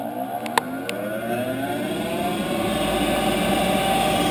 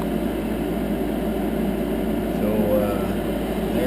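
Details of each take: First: About 10-year-old Heil gas furnace, run in 20–30 below zero weather: blower spins up then holds a loud steady whine, audible upstairs. Owner suspects the inducer (exhaust fan) motor is failing; gasket already replaced, new inducer about to be fitted. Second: 10-year-old Heil gas furnace after inducer fan replacement: quiet, even whir with no rattle, squeal or bearing growl, much better than the noisy old inducer; normal running.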